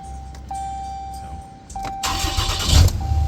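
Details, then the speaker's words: 2014 Ram 3500 6.7 Cummins that would not start or cut off while driving, after plugging in the replaced part; chime, short crank, catches and settles into a low, even idle; normal diesel start. "boom. She starts."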